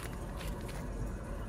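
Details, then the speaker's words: Chevrolet Tahoe front wheel spun freely, matching the roar heard on the test drive: low, rough, continuous roar with a gritty undertone; worn front wheel bearing. "that's the noise that's what I hear come on zoom in just in case they can't hear it that sounds horrible so that's what I'm hearing on the test drive"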